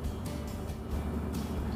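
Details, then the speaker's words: Volvo FMX 440 coal-mine truck diesel in instrument-panel idle adjustment mode (brake pedal held, button pressed): deep, slow, even rumble as engine speed drops to 500 rpm, ready to be raised in 10 rpm steps to 600 rpm. Idle lowered for adjustment. "Na bisa kita dengarkan disini RPM engine turun di angka 500 RPM Hai jika sudah seperti ini maka RPM Injit ini siap untuk dilakukan perubahan atau penyetelan"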